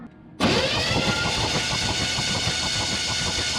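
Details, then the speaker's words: 1970 GMC 2WD longbed sitting 20 years, cranking over: even, steady cranking with no crazy noises, but the starter carries a coarse growl; owner thinks it may need shimming. "turns over pretty good no crazy noises that starter's a little bit growly so we might have to shim that"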